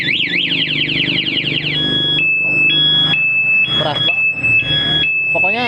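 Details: Honda Supra GTR 150 with a newly fitted plug-and-play remote alarm: a loud sweeping siren, then a repeating two-tone wail about twice a second; the anti-theft alarm is working.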